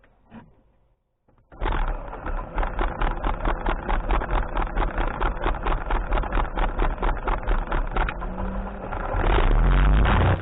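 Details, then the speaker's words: 2006 Cessna Turbo 182 before flight: master power switched on, then the fuel pump is heard priming. The starter cranks in even beats about twice a second, then the engine catches and settles into a steady run, a normal start. "You'll hear me turning on the master power breaker, and then you'll hear me priming the engine. And the noise that you hear is the fuel pump. Once the priming is complete, I start the engine."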